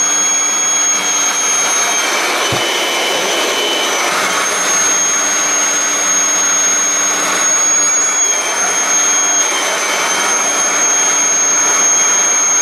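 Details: Kirby G6 vacuum, unserviced for years, after cleaning and reassembly, run in drive while cleaning its wheels: steady high-pitched motor whine with constant airy rush, no rattles or grinding; normal running.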